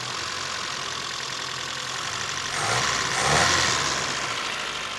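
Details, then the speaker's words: 1973 Toyota Hilux carbureted engine, manual-swapped, restarting after fuel got back to the carb while bleeding air from the cooling system with new radiator; even steady idle with brief rev blip, no knocks or misses; normal idle, though it then smokes somewhat. "okay she starts right up again I think we just needed to get fuel back to the carb"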